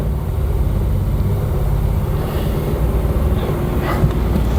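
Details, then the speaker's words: 1972 Triumph 2000 Mk2 2.0L inline-six unused 20 years, about 4 litres of fuel added: a low rough drone that holds without gaining speed. The engine dies when the choke is pushed in; cause not confirmed. "So I'm just playing with the choke now. I'm sorry if the picture is not perfect, because it's so sunny in here at the moment. Okay, so if I put the choke back in, it's dying."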